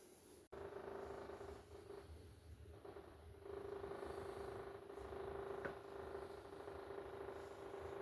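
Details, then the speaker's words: Samsung RS25J500DSR refrigerator: steady mid-pitched fan hum with a rough scraping edge that stops as soon as a door is opened; the evaporator fan blade is hitting built-up ice. "I don't know if you can hear that noise, but that's what this is making. Um, and I can definitely tell it's not coming from anything else cuz as soon as you open one of the doors, it shuts off."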